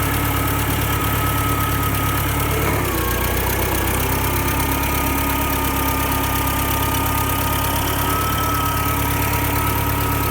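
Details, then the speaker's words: Ford Select-o-Speed tractor on a test drive after band adjustment: steady engine drone whose pitch dips, then surges and sags on the downshift; shifts are jerky and it picks up speed going from fifth to fourth; the owner suspects sticky band servo valves. "seems to be pretty uh jerky when it shifts and it still has that problem there from fifth down to Fourth seems to pick up speed uh that could be Servo valves that uh operate those bands uh it could be a little sticky"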